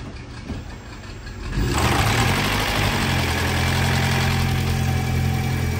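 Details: Fourth-generation (2016-2020) Toyota Prius on its first start after a head gasket replacement with new spark plugs, coolant and oil. It catches after about 1.5 seconds and settles into an even, steady idle with no knock or misfire.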